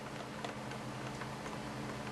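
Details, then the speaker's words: Motor pinion meshing with the gear during motor installation, pinion snugged in place: faint, irregular light ticks over a steady low hum as the gear rocks. Normal slight gear backlash. "you hear it? Just a little tiny bit of backlash."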